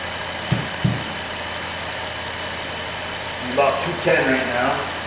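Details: 2008 Dodge Grand Caravan, high-mileage, 3.8L V6 after engine replacement (old engine had P0303 misfire and burned coolant), just about warmed up: quiet, steady idle with soft even hum and light clicks; normal warm idle.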